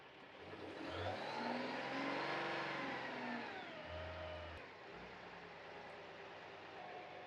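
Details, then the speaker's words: Truck in park with e-brake set, VMAC VR70/VR150 underhood air compressor switched on at control box; engine climbs smoothly to a higher steady idle and holds to charge air receiver tanks; normal raised idle under compressor load. "Simply turn the truck on, make sure the truck's in park, the e-brake is engaged, and simply hit the on button, and the RPMs on the truck will increase to charge your air receiver tanks."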